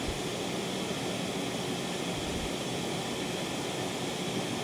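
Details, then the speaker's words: TLP Audio phono stage with two SP capacitor packs in the power supply: only a soft, even hiss with no low buzz or ticking; the spikes are entirely gone, leaving a clean, normal hiss. "noise has decreased a little bit more the spikes are entirely gone"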